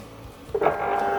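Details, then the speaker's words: Floorex Satellite 400 floor machine deliberately stalled on startup with weight on the head, 247 volts, current jumping from 45 to over 200 amps: a sharp click and a strained steady hum as the manual-reset thermal overload trips. "so you can see it's stalled it's 45 amps over 200 amps 200 and you hear the click and the display went out machine cannot be started and the machine is overloaded"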